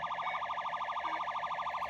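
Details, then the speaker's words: Barn-find Stern Wild Fyre pinball machine at power-on before the game boots: warbling siren-like whine rising and falling about six times a second, persisting after a ground repair; faulty soundboard suspected. "Just when I turn it on, as soon as I turn it on before the game boots, it makes a horrible sound."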